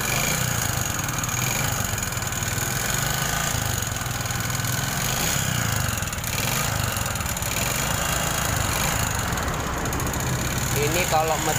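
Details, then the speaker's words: Honda Supra 125 engine running rough, harsher when hot: coarse clattery mechanical din over idle, like a tractor or nail factory, with no clean rhythm; internal cause not yet found, engine to be torn down. "Nah jadi suara mesinnya ya seperti itu mas bro semacam seperti suara jetor atau pabrik paku"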